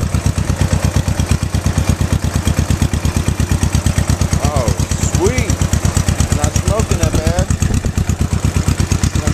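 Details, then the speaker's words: Old tractor engine, after replacing the condenser and cleaning rotor and cap contacts to cure no spark: steady, even chuffing about three beats a second with no misses or knocks, healthy idle. "here that sounds pretty darn good to me woohoo fix the hand crank we got it running"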